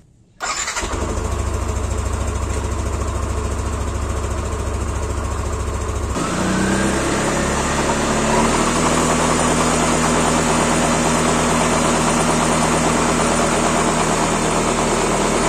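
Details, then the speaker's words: 2016 Yamaha NMAX, rear CVT reassembled after knocking returned a week after only greasing: engine starts and settles into smooth, even idle with no knocking; cause found in rear pulley; knock previously felt below 20 km/h. "kita tes teman-teman kita nyalain mesinnya mudah-mudahan gak ada yang klotok-klotok lagi"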